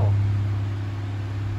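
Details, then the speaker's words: 1980s Sanyo 9-inch oscillating fan (2-speed shaded-pole C-frame motor), unoiled before restoration, on high (speed two): steady, even motor hum with a constant low drone, no rattle or scraping; shakes a little but not too bad; normal. "shakes a little bit but not too bad"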